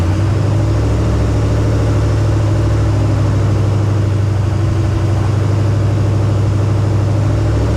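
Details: 1968 AMC Rambler American 401 V8, freshly rebuilt after ten years sitting, first start on break-in: steady deep rumble at an even fast idle, no knocks or ticks. Running fine but needs tuning; it got hot.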